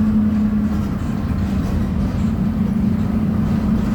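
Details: 2007 Torino bus, Mercedes-Benz OF 1722M chassis, driving at high revs: steady low hum over the diesel roar; suspected worn, whining rear differential.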